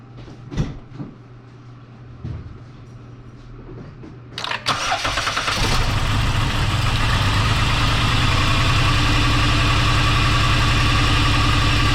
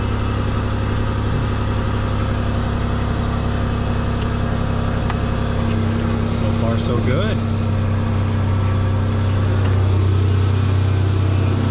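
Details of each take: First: 2010 Dodge Grand Caravan 3.8 L V6 starts and idles roughly with an uneven, stumbling beat, multiple-cylinder misfire codes, before replacing spark plugs, wires, an ignition coil and the PCM. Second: 2010 Dodge Grand Caravan 3.8 L after a multiple-cylinder misfire was fixed: steady, even idle with a deep constant drone and no stumbles; loud exhaust from a hole somewhere in the exhaust; runs smoothly, normal idle.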